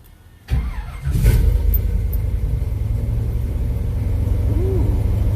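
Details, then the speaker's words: Subzila 1986 truck with 496 big-block V8, first start after fitting Accel Extreme 9000 ceramic plug wires after sitting: steady, even low rumble after catching, no popping or sputter; good oil pressure, high vacuum, normal idle. "Sounds like it's running right. We're hearing any popping or sputtering. Ooh, it sounds smooth."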